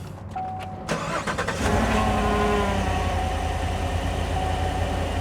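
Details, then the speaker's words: Petrol engine cranks and settles into lumpy, uneven idle with a severe misfire, fuel washing the cylinder; stuck-closed intake valve suspected (possibly flat cam or broken rocker arm); no unusual mechanical noise. "yeah look how bad you see you can feel a misfire in that motor it's terrible"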